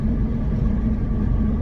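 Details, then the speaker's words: Deep, steady rumble droning up through the chassis while driving a £390 Saab, no grinding; first suspected a wheel bearing (side unclear), but the out-of-round rear tyre is the rumble and may blow out. "So this tyre is dangerous to the point where it may blow out on you at any point. Okay. So that would be the rumbling sound."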